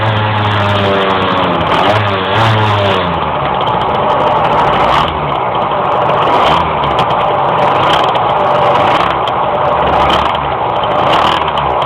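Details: Engine struggling to climb in revs while driving: revs stall and surge instead of rising cleanly; hesitation under load.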